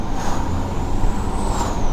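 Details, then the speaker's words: All-wheel-drive BMW after engine repair, boost turned down to about 4 from a previous high of 11: smooth engine drone with a thin, high whistle rising and falling as the turbo spools; healthy turbo under boost. "you can hear the turbo yeah yeah hear a whistle up"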